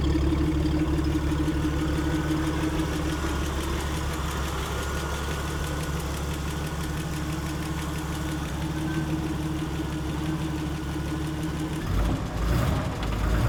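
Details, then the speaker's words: Speedster built from 1953 Ford F5 pickup; deep steady idle with even unbroken beat, no knocks or misses, runs like a sewing machine; normal idle. "you can hear it running and it is runs like a sewing machine it is wonderful I'll let you hear it"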